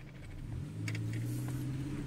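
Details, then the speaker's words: 1993 Toyota Corolla with hesitation that returns once the engine is hot despite new air temperature sensors: light pedal tap gives smooth, steady rise from idle with no bog; hesitation only begins around half pedal. "just barely tapping on the gas gave gave it a ton of power you know see and if I slowly press down you know it does great up until about halfway on the pedal"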